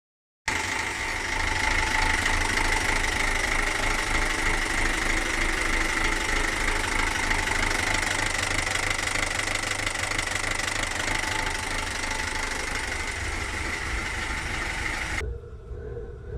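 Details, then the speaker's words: Great Wall Hover H3 petrol engine idling roughly: a steady knock about three times a second, with shaky rpm rising and falling. It is caused by a jumped timing belt; the owner had parked on a downhill slope. "Как вы услышали, звук двигателя стучащий, при том еще неровная работа двигателя. Он как бы с дрожанием именно обороты то вверх, то вниз."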